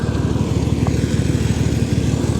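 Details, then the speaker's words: 1991 Mercury Cougar with suspected blown head gasket, after BlueDevil head gasket treatment: low, choppy idle with uneven pulses and skipped beats, engine shaking; misfire on one or more cylinders, repair apparently unsuccessful. "ll try to fire it up again later on and see if she's smoking less if it's running better because obviously she's got a misfire or two or three it's hard to say"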